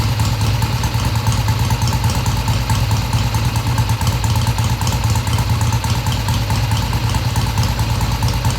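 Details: 1971 Triumph T120 650cc twin after carb adjustment of about an eighth turn: even, steady beat with no misses or hesitation and clean carburetion; comes off idle smoothly and revs through mid-range; smooth idle.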